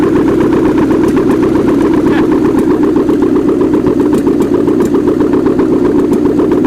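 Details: 1979 GMC Heavy-Half with a scrapped 350 small-block V8 with new heads, coolant not hooked up; a smooth, even idle pulsing about four beats a second with no miss or knock; normal idle.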